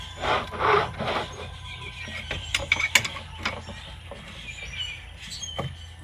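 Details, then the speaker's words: B8.5 Audi S4 rack and pinion removed, tie rod worked by hand after a homemade boot repair: dry gritty crunching in bursts, compared with a good one; tie rod joint crunch, tie rod ends to be replaced. "that? Absolute crunch. versus that Luckily, all I need is a tie rod ends."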